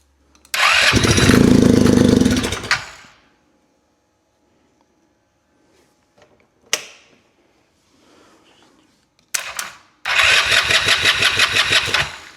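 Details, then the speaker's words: Polaris RZR 170 sat about 5 years, cranked via jumped solenoid with choke on after priming the airbox with starting fluid: short starter bursts with gaps, only faint attempts to fire; cranks but won't start, owner suspects it isn't getting fuel. "Got my choke on still. She's not really getting her gas."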